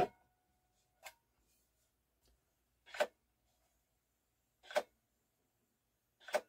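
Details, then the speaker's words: Technics SL-3 servo belt-driven, fully automatic, linear-tracking turntable after the belt was fitted: soft isolated clicks every couple of seconds; normal record-sensing mechanism cycling because no record is on the platter. "that noise you hear is the mechanism telling it that it has no record on there"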